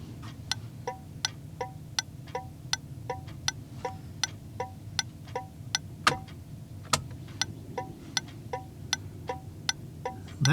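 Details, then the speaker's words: HM 552 thermal turn signal flasher on an '81 Chevy with engine running at full voltage, flashing faster as expected, right turn; crisp evenly spaced clicks about twice a second: normal turn signal flasher clicking. "so now I'm going to start it up and uh see what they sound like with full full [Music] Voltage faster as expected"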